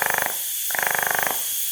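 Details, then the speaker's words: 3-port MAC boost control solenoid on a wastegate bench demo, duty cycle ramped from 0% to 100% with throttle: two bursts of rapid, even buzzing clicks, about twenty a second, as the solenoid pulses. "So this is going to be adding duty cycle to this controller, and it's going to be starting it at 0% and then ramping it to 100%. So as I give it a little throttle, you can hear the solenoid working."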